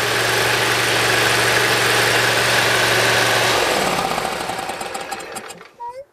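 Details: Briggs & Stratton Intek V-twin mower engine (Dixon mower re-power) after valve lash adjustment, reaming of the Nikki carburetor low-side jets and governor adjustment: steady even drone for over three seconds with no hunting, then winds down to a stop; no surge.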